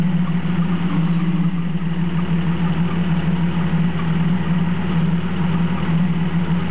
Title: 1993 Jeep Cherokee misfire.